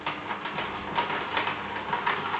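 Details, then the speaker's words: Hurom cold press (bladeless) juicer auger juicing wheatgrass cut into short pieces: rough creaking grind with short high squeaks every half second or so, from extra friction as grass is pushed through the system. "one thing you'll only put me class do any juicer it makes this noise that sort of creaking"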